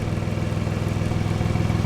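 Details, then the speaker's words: Nissan Xterra at idle with check engine light on: sharp regular puffing tick on each firing pulse from an exhaust leak ahead of the O2 sensor, later found as a dime-sized pinhole and patched. "That extera there it's got an exhaust leak to the point that the engine lights on cuz it's leaking in front of the O2 sensor I think."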